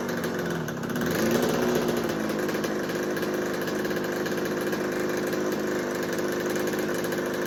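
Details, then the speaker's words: 1986 Kawasaki KX125 two-stroke with a no-spark, no-start history, idling while the head gasket area is sprayed: steady, even idle that never stumbles or rises, so the head gasket appears to be fine. "All right. So, our head gasket appears to be fine. I didn't hear the idle change last."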